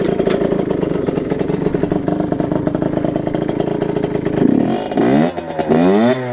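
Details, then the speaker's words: 2009 Derbi Senda SM two-stroke with SCR Corse exhaust, after airbox derestriction with 8 holes and cover refitted: steady crackling idle and clean rev blips, slightly more intake noise; normal idle and revving. "Donc oui, elle fait un assez joli bruit. Donc voilà. Il y a quand même 8 trous."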